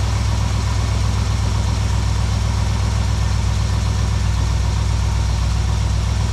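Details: 1972 Plymouth Valiant 318 V8, Holley 600 four-barrel refitted after fixing a rich-running fault: smooth, even low rumble at idle with a steady beat about four per second, no misses or stumbles, much better than before.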